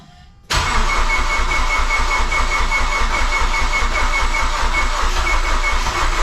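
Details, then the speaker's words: Mazdaspeed6 engine after a teardown and rebuild, first start attempt after aligning the crank position sensor between the 20th and 21st teeth of the harmonic balancer: steady, even cranking that never catches. Cranks, no start. "What the heck? I thought I would just fire it up, but okay. Sounds like something's wrong."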